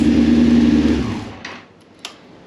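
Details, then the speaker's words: 2002 Yamaha FZ1 1000cc four-cylinder, first start in 8 years after tank cleaning and new petcock, idle turned up: crisp even burst of running that winds down cleanly, no misfire or knock; sounds healthy. "Turn this idle up a little. Ah, look at that. The big fires right up though. That idle is sick."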